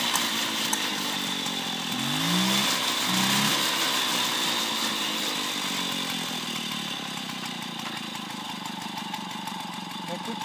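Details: 1972 Motobécane 40V moped, barn-find, first start after thorough cleaning and engine overhaul: crisp, buzzy two-stroke beat firing evenly at a fast idle, with a brief blip early on; the engine runs cleanly.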